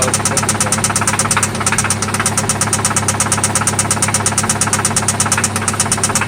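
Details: 1995 Toyota Celica ST idling after an oil change and spark plug replacement: a loud, steady, evenly spaced knock, about two per second, over a smooth idle; a deep internal knock that seems to come from one spot, source not yet found.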